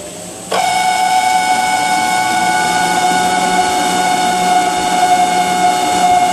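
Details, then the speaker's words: Whirlpool ventless dryer model YWHD3090GW: high, steady whine the moment the drain pump starts, holding pitch; impeller clear, nothing stuck, pump W11086537 worn and to be replaced; noisy failing drain pump. "you can clearly see that there's nothing stuck on the palm BLT but we have to replace the pump and that will take care of this noise"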